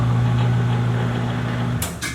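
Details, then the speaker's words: Katool KT-T800 tire changer turntable motor, single-speed on/off, newly installed: steady constant low hum, a bit noisy but even, no grinding or knocking; normal healthy turntable drive. "But it's functioning, a little bit noisy. It's not variable speed, it's either on or off."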